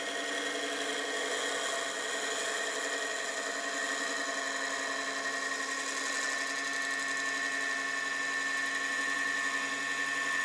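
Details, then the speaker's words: Walnut chip-and-dip bowl on the lathe: steady cutting rush with a thin, high singing tone on top as the thinning bowl wall vibrates; less bad than some earlier cuts, wall and bottom thickness being checked. "Hey, you may have also noticed that the bowl is starting to vibrate a little bit out here. You can hear that high-pitched noise."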